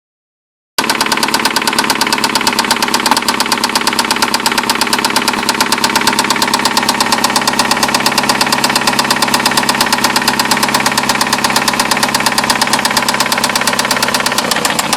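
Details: 2009 Nissan Altima QR25DE petrol engine idling with a steady, sharp, constant knock; owner suspects a spun rod bearing on cylinder one, not confirmed.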